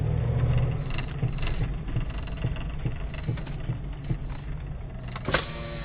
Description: My '98 Grand Cherokee V8 makes some strange noise when tippin' onto the brake.